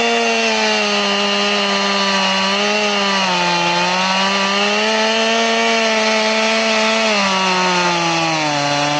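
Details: Chainsaw with its chain filed to 10 degrees, crosscutting: a steady, high tone that sags and recovers under load without pulling in, cutting smoothly but very, very slowly. It works but is not recommended.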